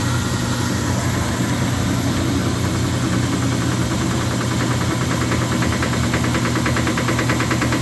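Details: Speed Queen TR washer running: a heavy steady drone with a repeated knock every turn, caused by play in the drive pulley on its shaft because the pulley nut had loosened.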